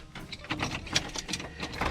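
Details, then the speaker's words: Monte Carlo cold start after repairing squirrel-chewed wiring with solder; not driven since the misfire codes P0201/P0301 began. A short cranking clatter, then the engine catches cleanly and runs evenly with no stumble: a normal cold start. "See? Yep. She fired right up. And it's cold start like I haven't been driving or nothing since that uh misfire started, so As you can hear, yeah."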